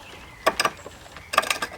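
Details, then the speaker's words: Treadle lathe roughing out a green-wood billet with a gouge; bursts of rapid uneven clattering knocks as the gouge bounces on high spots of the uneven billet, quiet gaps between, tool chatter from an out-of-round workpiece. "you will start bouncing and you'll get a really bad finish it will all be not a good sound can you hear at the moment we get in an uneven sort of bouncing sound that's me hitting the high spots"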